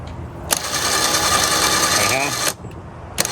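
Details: 5000 lb Badlands winch made portable, tested on a not fully charged jump pack via the plug-in remote: about two seconds of smooth, steady motor whine with gear hum, clean stop; winch motor healthy.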